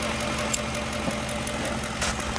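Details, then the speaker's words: 2014 Ford Expedition 5.4 SOHC V8, left-bank cam phaser oil control solenoid suspected stuck full retard (misfires cylinders 5–8, likely varnish), connector reconnected after actuating; steady, even idle hum, no stumbles. Normal idle, fix possibly temporary. "as you see it's still running absolutely so my thought is it's got some crud build up or something or a varnish build up and i was making it stick"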